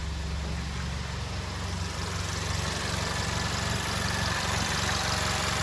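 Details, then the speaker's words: 2015 VW Mk7 GTI EA888 after installing an EQT coil grounding kit; steady even idle with a smooth low rumble and no misses or knocks, seemingly a tad cleaner and more consistent than before. "I mean, you want to be able to tell anything from up here, but it seems like it's idling a tad cleaner, but whatever."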